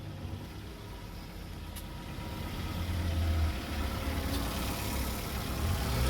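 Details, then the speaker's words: 2015 Chrysler 200, towed in with no start and shifter stuck in neutral; after modules resynced into proxy alignment it starts and idles with a steady, even low rumble, no knocks, misses or surging, and shifts through the gears normally. "there you go guys uh i got the car started i'm not stuck in neutral i can go throughout the gears i can now shift"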